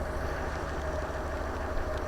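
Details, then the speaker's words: 2010 Range Rover Vogue facelift, 4.4 L twin-turbo diesel V8, long-stored auction car sold as non-running, idling right after it started unexpectedly: an even, low diesel rumble with a steady beat and no knocks or misses. It sounds absolutely fine, a normal idle. "It sounds absolutely fine. It sounds fine."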